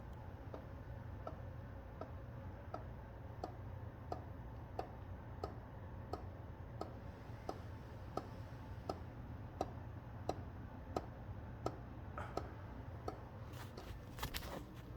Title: Strange noise from ceiling fan.